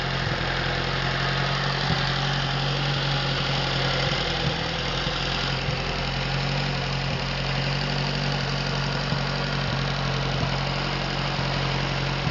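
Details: Atomic 4 inboard engine overhauled last summer (new pistons, rings, valve springs, plugs, wires, higher-flow water pump), run without choke on a test stand for a 17-foot homemade wooden boat, alternator off: steady, even idle, constant low hum, no knocks or misses; normal idle.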